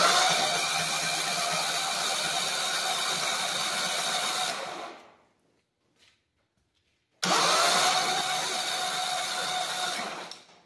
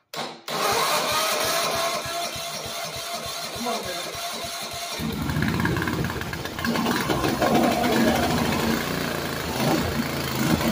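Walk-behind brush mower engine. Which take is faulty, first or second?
second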